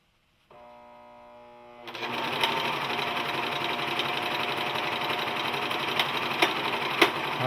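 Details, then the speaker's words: Singer 14J250 Stylist 4-thread serger, new out of the box, chaining off: fast steady whirring stitch chatter with a few sharp ticks; odd running noise of unknown source, seam unaffected, possibly needs break-in. "I still hear the noise"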